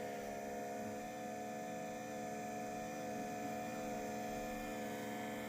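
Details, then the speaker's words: Ferrari F355 heat exchanger smoke leak check: steady tester pump hum holding an even tone as it pressurizes the part, meaning it holds without a major leak; smoke escapes only by the hand-held seal. "So go ahead, Mark, stick it in there, and then and you can hear it's pressurizing it."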